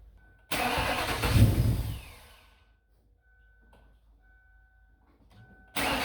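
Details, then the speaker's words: Ford/Lincoln 4.6L 32V V8 after repairing a blown-out spark plug with threaded insert and red Loctite: cranks and catches promptly, brief flare, then quiet even idle with no misfire or ticking; normal start and idle. "so we got dad in the car he's going to fire it up I'm gonna monitor everything on the outside and fingers crossed guys everything went well so let's go"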